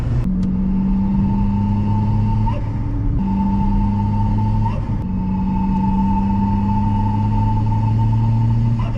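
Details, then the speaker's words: Chevy Cruze with a big turbo, running slightly lean while driving: a steady high-pitched fluttering whistle over the engine drone, the big-turbo flute noise; cause suspected, not confirmed; a blow-off valve is fitted next. "however people who really don't know much about these cars don't understand that the Big Turbo makes this God awful flute noise"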